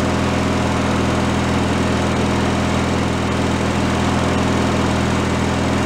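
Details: Free derelict Craftsman riding mower engine, started by key on fresh fuel after repairs, warming up before an oil change: smooth, steady hum at constant idle speed, no misses or surging; normal idle.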